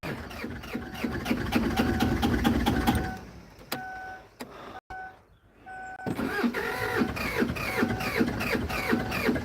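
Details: Kia Sedona diesel with intercooler removed, cam belt recently changed: steady starter churning about two and a half beats per second without catching, pause, more cranking; air in the fuel lines, before it finally starts and runs smoking.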